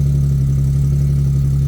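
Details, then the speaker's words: Nissan 370Z, previously a no-start diagnosed as needing a battery: starts and holds a steady, even, low idle with a smooth hum. No clicking from the door switch and no stumble; running normally. "on she starts no clicking from the uh door switch over here"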